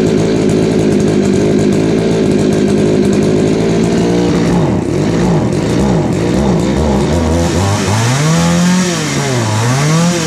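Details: Craftsman 3.7/Poulan 3700 chainsaw after fitting a new eBay carburetor and fuel line: fast steady idle, then stumbles and sags when throttled; bogging and high idle from carburettor L, H and idle screws needing adjustment.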